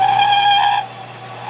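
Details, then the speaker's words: Lathe turning a taper with a taper attachment: a steady high ringing squeal that drops away briefly and returns. Tool chatter on the workpiece is suspected. "it's got to be chatter and I don't know how much I got to take off of that"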